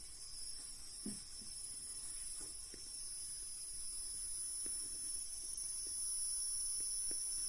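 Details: Deye SUN-6K-SG03LP1-EU 6 kW inverter, a replacement unit, running indoors: steady piercing high whistle at constant pitch coming from the radiator, audible throughout the flat; inverter high-pitched whine.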